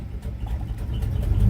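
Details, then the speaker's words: 1989 Avanti convertible, not yet warm: low rumble sags then builds back up with no throttle while the vacuum gauge drops; it smooths out near 160° on the temperature gauge. A vacuum problem is suspected, with the EGR and idle valve noted; hunting idle. "And you hear how it's idling down real low? And it picks up. And you can watch the vacuum gauge. And the vacuum gauge drops right down. I'm not touching the gas."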